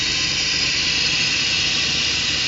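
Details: Idling engine with its largest vacuum line, the vacuum modulator line, pulled open: a loud, steady high hiss as the engine suffers, with short-term fuel trim adding fuel and pulse width rising from about 5 ms; plugging it restores normal.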